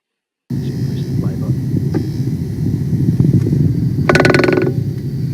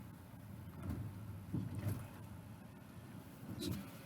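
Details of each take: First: Tesla Model S front suspension; dull low rumble with loose rattle about four knocks per second over a speed hump, persisting after secondhand shock absorber swap; worn front track control arm. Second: Tesla Model S after new track control arm fitted for severe suspension rattle; reversing and driving forward slowly over a drain grid, only soft tyre thumps, no rattle, fix confirmed.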